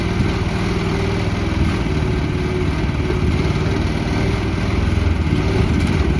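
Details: 2024 FF Industrial FF13 mini excavator, Briggs & Stratton engine: steady, even single-cylinder-type drone with a constant beat and no knocks or misses; runs smoothly and healthy.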